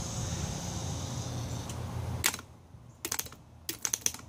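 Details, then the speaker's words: Jeep XJ starter jumpered on the bench with a jumper cable after reassembling the solenoid: a few sharp clicks in short bursts with no motor spin, still failing to engage. Mud jamming the lever suspected. "Still the same shit."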